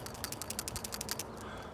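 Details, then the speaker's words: Old PCV valve shaken by hand after removal: light crisp metallic clicks about ten a second, moving freely, so it still works; its hose was badly cracked. "I'm matched to get the old PCB out it's not the worst you barely hear the thing clicking in there"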